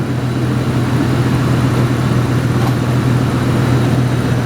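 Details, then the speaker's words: Lincoln Town Car V8 just started after a tune-up with new plugs and wires: steady, low, even idle with smooth rumble and no misses, ticks or knocks; engine healthy. "Oh man, that motor sounds so happy."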